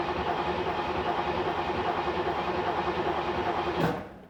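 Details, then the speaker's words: 1986 C4 Corvette L98 cranked with the 10 amp fuel pump fuse pulled to bleed fuel rail pressure before an injector swap: steady starter churn at about three compression beats a second, never catches, then stops; crank no-start, no fuel pressure. "So once you pull that fuse out, you're going to then basically turn over the engine. The engine will not start because you have no fuel pump."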